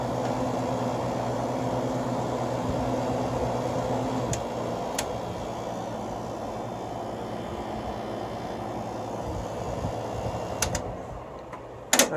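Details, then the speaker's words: Fedders 7500 BTU window air conditioner with Rotorex compressor, thoroughly cleaned, switched to high fan: steady airy fan rush over an even low compressor hum, compressor quieter on high than low, no knocking or rattle; normal running. "turn it up to high all right compressor does quiet down a bit when it goes up to high"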